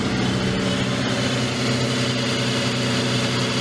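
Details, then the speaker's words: Salvage FR-S, first start attempt with little fuel in tank: steady even low hum, smooth unbroken rhythm with no knocks or misses; freshly started engine idling cleanly. "It's running. It runs. Are you kidding me? It freaking runs."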